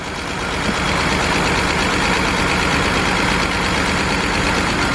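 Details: BMW 328i at idle with a lumpy, irregular beat around four per second, running on only some cylinders; unplugging coils showed cylinders 3 and 4 dead, with codes for cylinder 4 misfire and cylinder 3 injector circuit.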